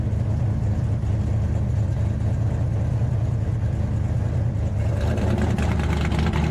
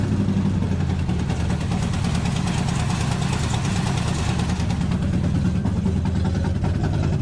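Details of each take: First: 1968 Dodge Charger with a Hemi V8, back on the road: a deep, lumpy burble holding steady at idle, then picking up with revs, with no knocks, misses or leaks. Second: 1968 Dodge Hemi Charger V8 idling: uneven, lumpy beat, not running on all 8 cylinders; popping, possibly running lean, with a large vacuum leak suspected.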